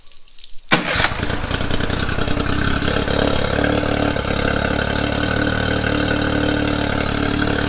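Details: Honda BF30 outboard just serviced (new internal anode, thermostat and gasket, timing belt inspected, cowling seal replaced), started with water running through; quick crank catches and settles into a steady, even idle with no misses or knocks.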